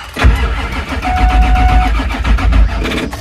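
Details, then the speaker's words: 1999 Ford F250 Super Duty 7.3 Power Stroke diesel service truck, sat for years: uneven, labouring slow crank with sluggish low thumps that never catches after a glow plug cycle; batteries judged junk and too weak. "nope batter's junk all right I got to figure out um am I going to buy pair of batteries for this"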